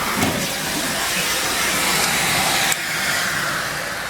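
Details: Central vacuum system with an intermittent hose switch, after a fix that bypasses the switching: steady, even rushing hiss with no cutting out or surging. Runs normally.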